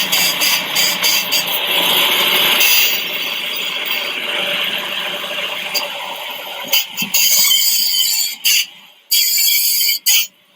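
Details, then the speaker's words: Car suspension rocked back and forth: high, dry squeaking from the upper ball joint; cracked boot let grease out and water in, causing rust. "water gets in creates rust and and then it makes this noise so this noise is really squeaky"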